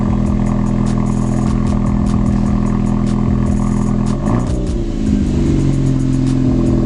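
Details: Ford Focus ST first start after cleaning heavy carbon build-up from the intake valves, where some smoke from loose debris was expected; steady, firm idle with a faint tick, then a clean blip and rev that settles evenly. No stumbling or misfire.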